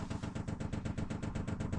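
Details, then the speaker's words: Chinese diesel heater in Peugeot Boxer van, prime mode with long fuel line from tank: quick even fuel pump clicking about eight per second over quiet background; normal priming. "It's got quite a long fuel run from the fuel tank at the front, underneath the seats, all the way along and into the bottom of the diesel heater. So I'll just set that going. You can hear the fuel pump clicking away."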